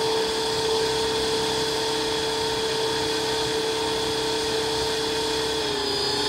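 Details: Armed Huey RC helicopter on the ground: a steady high motor whine holding near one pitch with a faint uneven pulse, then dipping slightly; abnormal, strained motor sound, with a voltage issue suspected but not confirmed.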